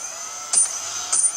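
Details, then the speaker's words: Multiwii 3D multirotor armed, ESCs reversing between forward and reverse; high steady motor whine with two brief clicky bursts as the controllers flip direction; normal ESC direction-change clicking. "that noise is the clicking over the two different speeds and then disarm it"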